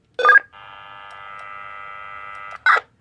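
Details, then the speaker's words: Kenwood KMC-27 microphone on an NX-800 radio, heard on a scanner: steady buzz for about two seconds between sharp keying clicks when the cable is pulled; failing mic cable, not the microphone, needs replacing. "Yeah, if you pull it out, if you go over here, it's just that buzzing sound. And I've actually heard this a couple times on the school bus frequency."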